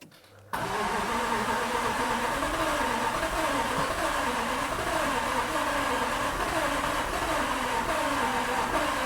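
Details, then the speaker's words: Flood-damaged 2018 Jaguar F-Type SVR, 5.0 supercharged, on its first start attempt with the gauge showing 34% fuel. The starter churns steadily at about three pulses a second for nine seconds without catching; owner fears a bent conrod. "trying to start but it doesn't there's any fuel in it where's the fuel gauge on this no it says 34% fuel"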